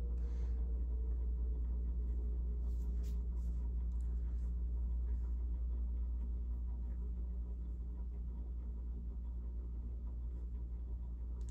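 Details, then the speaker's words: Casablanca Broadway Limited ceiling fan at high speed with a faulty board, loud drone with low hum and rhythmic pulsing; owner suspects worn bearings needing replacement or a new motor. "yeah you can hear the bearings either needs a bearing replacement or just a completely brand new motor"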